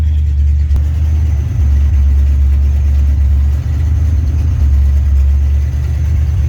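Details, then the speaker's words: 1965 Chevrolet Impala lowrider, original 327 V8 after a complete rebuild, bored 60 over, exhaust not yet welded: deep, even rumble with a steady rhythm and no knocks or ticks; sounds good. "Sounds good, man. I still got to get the exhaust welded, and then should be ready to come home soon, man."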